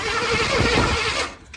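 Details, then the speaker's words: Vintage Chevy van that sat for years, cranking about five seconds on the key: rough, uneven churn with some compression, then it cuts off without firing. Cranks but no start; no fuel supply, and no spark found at the HEI. "okay that's good news the engine does rotate it does spin over and it does seem like there's some compression in there"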